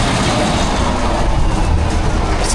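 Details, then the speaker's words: Cat 651B scraper repowered with a Cat C15 six-cylinder turbo diesel and low on power: loud diesel running with a raspy, puffing hiss over the rumble; bad exhaust manifold leak suspected of causing low turbo boost. "like it's got a bad exhaust leak. So, I'll check the fuel pressure and I'll check the uh boost first off cuz it could be a boost issue."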